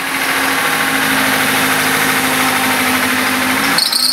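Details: Car sat almost a year; its 5-year-old battery, once at 0.75 V, was revived by charge/discharge cycles. Steady, even idle with constant hum, no misses, knocks or hunting: engine runs smoothly after starting.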